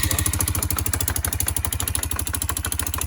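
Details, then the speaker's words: 2008 Kawasaki Bayou 400 quad, first start in a long time with fresh oil: sharp regular knock at idle, about three per second, over the single's thump; concluded to be loose centrifugal clutch rattling until engaged, like a go-kart clutch. "so when it's engaged and stopped it stops it from rattling once you get going and it's spinning the same speed as the motor it allows it to move again"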